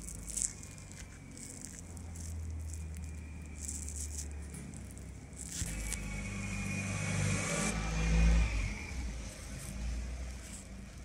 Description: Vidéo du jour sur un jm motors 4temps avec bruit bizarre à l arrière après démontage j ai constater problème d embrayage les roulements hs plus la gomme de l embrayage abîmé